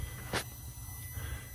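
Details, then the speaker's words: Polaris Ranger with DS18 bass audio build: faint steady high-pitched whine over low rumble and a thump; electrical squeal suspected from a no-name RGB controller. "For now, I'll turn it off so I ain't got to hear them things squealing. It's probably that no-name RGB controller."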